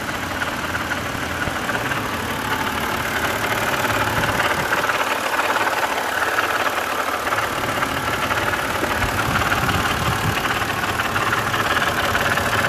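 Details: BMW E90 325i, N52 engine, at idle: loose, uneven metallic rattle from the top of the engine, with engine light and codes 2A87/P0015 exhaust VANOS mechanism fault.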